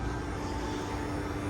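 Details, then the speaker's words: Variable-speed electric AC compressor, engine off, evaporator fed hotter air (80°F) with vent at 44°F: steady fast hum with clear whine as compressor spins faster to move more refrigerant; normal. "can you hear the compressor the engine's off you hear that the compressor is spinning really fast now because it's continuously getting this hotter and hotter air"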